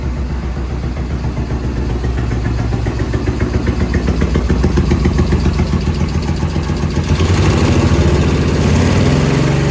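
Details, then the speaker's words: Suzuki VS1400 Intruder V-twin, cold start after a new battery. Lumpy, uneven idle running on the front cylinder only while the rear stays ice cold; the rear carb needle was stuck, possibly glued by debris from a disintegrating air filter. "Sounds like one. [Music] Which one is it? Front one's starting to feel a little warm. The back one feels ice cold."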